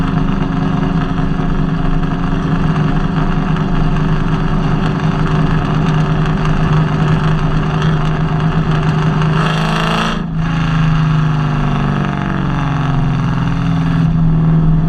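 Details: Nissan VH45DE V8 (Kouki) with a misfire: an uneven, stumbling beat under a steady rumble with a brief rev; cause unclear.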